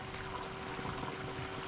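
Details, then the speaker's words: The electric intercooler coolant pump on a Chevy SS/G8 LSA supercharger swap, switched straight from the battery, gives a quiet, steady mid-pitched hum with coolant gurgling through the lid and lines. It is a healthy pump; the owner hopes there is no internal leak. "She's cooking. Pretty quiet, actually. And that's cycling through the lid."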